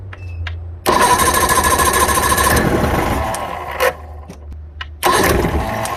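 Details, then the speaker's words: 1989 Johnson 40 HP VRO outboard, first start after storage, runs unevenly with surging and loud bursts, smoky and rich; suspected old fuel residue in carbs, not confirmed. "okay a little smoky probably because it's got some old stuff in the carbs and everything sorry nick he's pumping that noise a little rich"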